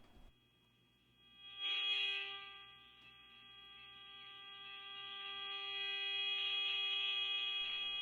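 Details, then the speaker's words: Sony 6RC 23 AM clock radio under restoration, dial off frequency: a steady high whistle with faint hiss from a loosely coupled RF generator test signal at 540 kHz while the set is tuned at the bottom of the band for dial alignment. "i've got a loosely coupled antenna set up on my rf generator here set up to about 540 kilohertz on the dial set the knob here for the bottom of the band 540 and we're gonna tune it"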